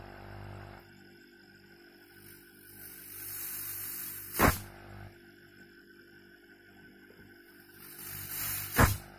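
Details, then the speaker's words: Healthy fridge compressor plugged in and running: steady low motor hum with a strong rushing discharge hiss, showing strong pressure and good pumping, compared with a failed compressor that only hums with no suction. "Ini tekanannya sangat kuat sekali ya. Ini harus terdengar suara seperti ini, artinya sirkulasi pompa udaranya bagus."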